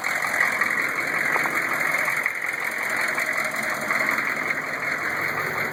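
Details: GM 6.5 diesel, newly installed rebuilt long block: steady idle with a light regular knock about every other crank turn, recorded with the inspection cover off. Loud in the cab while driving, oil flow to the rockers weakens toward the rear; flex plate and converter bolts fine; internal knock, source not found.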